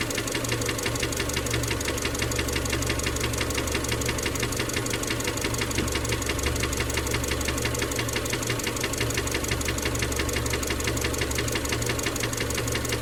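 A strong, even knock at roughly three a second pounds through the idle, deep in the block, a worrying bottom-end sound. Cause suspected, not confirmed.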